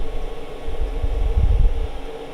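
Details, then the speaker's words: Newly installed diesel blown-air heater at startup: a steady airy rush over a low rumble as the fan spins up normally, while the fuel pump clicks as it starts to prime. "so that's the fan running now so what we've got is we've got the pumps starting to prime because you can hear it clicking"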